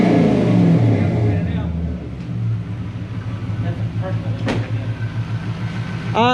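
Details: Toyota 3UZ V8 with A650 five-speed auto swapped into Ford Courier ute, Flowmaster exhaust, revved after cleaning dirty part behind earlier misfiring, non-revving problem; spins up cleanly to rev limiter, even burble, runs free and healthy.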